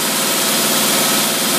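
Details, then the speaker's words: Holley tpot carburetor on a running engine, choke off in about 95-degree heat, screw found way out; customer said it ran seconds then shut off, but fuel bowl full, 3 psi pressure: steady, smooth idle, running perfect, normal idle. "we're gonna have to hold this thing down while we fire it up and see what happens that there's running perfect right there"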